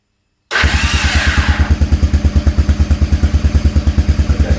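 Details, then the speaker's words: Honda Big Red 300FW 4WD ATV cranking on the electric start without choke: steady rapid cranking pulses about three a second with a thin, high squeal early on, coming from the starter mechanism. "Now, I did hear a strange noise. There's a bit of a squeal."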